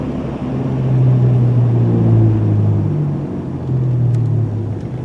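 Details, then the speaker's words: Truck, on test drive while letting off the gas: low droning hum swells and fades with a heavy rumble; owner first blames the tires, then suspects low rear differential fluid after finding an oil discrepancy. "well just letting off the gas just letting off the gas I have this noise which seems even worse"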